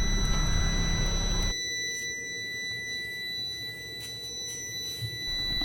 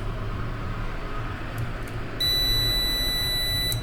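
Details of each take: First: Prolink 700AC UPS, not working, plugged into mains: steady, piercing high-pitched electronic tone over quiet room noise; low-battery alarm that sounds whether switched off or on, battery likely without charge. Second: Prolink 700AC UPS, switched on while connected to mains: one long, clean, high beep of about a second and a half; normal start-up, green light showing power present and battery charging.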